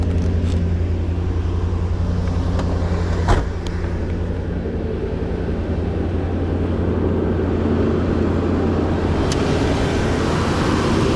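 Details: 1991 Mercedes 500SL, 39,000 miles, warm at about 82 on the temperature gauge, in drive (should be about 550 rpm): steady raised idle hanging up before returning to normal; owner suspects heat and a sticking throttle linkage despite two new idle control valves.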